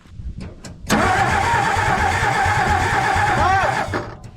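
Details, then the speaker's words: 1962 Ford F600 with Marvel Mystery Oil added to the cylinders, cranked via a jumper cable from battery to starter. The starter spins about three seconds with a wavering whine and uneven pulses, never catching. Engine cranking without starting. "we're just gonna crank it over and see if it'll do anything it's not it's not going"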